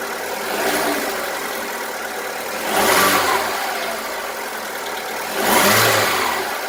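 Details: VW Polo 1.4 16V BUD engine: hollow, diesel-like clatter under a rough idle between two throttle blips; piston slap from worn skirts, worsening over time and not cured by lifter cleaner, new lifters or XADO additive.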